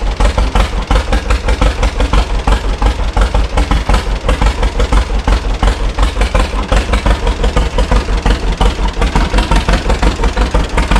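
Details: 1936 John Deere Model A two-cylinder, first start after three years sitting, choke on. It has new plugs and cap and sanded points; the carburetor is not rebuilt and the owner suspects a sticking float. A heavy thump near 170 beats a minute, uneven in strength: rough idle needing adjustment.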